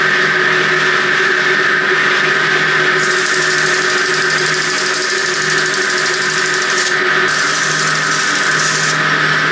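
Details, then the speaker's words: Motor on a 100-year-old forging power hammer, rebuilt with a newly fitted motor starter, run to clean the motor pulley: even, steady motor whine with a clear high tone, no knocking or grinding; running smoothly. "So I'm going to fire it up to clean that up. Right, so with the press of a button now, she should just fire on."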